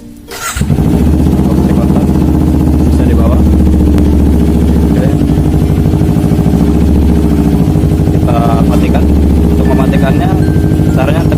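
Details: Kawasaki Ninja 250 fuel-injected motorcycle, remote-started by newly installed alarm: short starter whirr, then it catches at once and settles into a steady, even idle; clean, healthy start.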